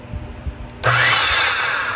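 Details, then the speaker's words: Restored vintage Skilsaw Model 87 circular saw, no blade, fully oiled, test run after reassembly: motor snaps on to a strong, even high whir with no grinding or rattle and takes longer to coast down; healthy motor. "It's the torque is just crazy how it flips it right over. Note how it takes a little bit longer for it to slow down now that it's fully oiled."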